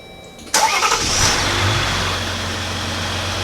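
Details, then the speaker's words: Jeep Gladiator/Wrangler JL 3.0L turbo diesel, first start after installing MAXPower Pro engine control module with battery disconnected: starter catches quickly, settles into steady even idle, no stumbling, no warning lights; normal start and idle. "Starts up, great. No warning lights, nothing."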